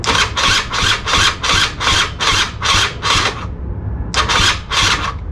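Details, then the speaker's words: 2016 KTM 300 XCW two-stroke, cold, original starter before replacement, charged Tusk lithium battery, cranking only: slow, labored cranking about two and a half compression strokes a second with a brief pause; weak starter causing slow starting. "I would expect it to crank over a little bit quicker, but so like I said, what we're going to do now is we're going to put the 410 watt starter in"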